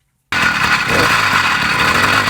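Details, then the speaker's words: Old mountain bike with a newly fitted Bikeberry motorized bike kit, idle set with the clutch held in, engine a little cold; a steady, buzzy rattle holding an even idle without stumbling: normal idle. "all right guys so we're on the bike right now you can hear it it's a little cold"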